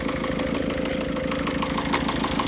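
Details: 1.6 litre HDI diesel after timing belt failure on the highway, idling: steady sharp metallic ticking about six or seven clicks a second; injectors had leaked and been retightened, noise continues, air escapes oil cap; cause unconfirmed.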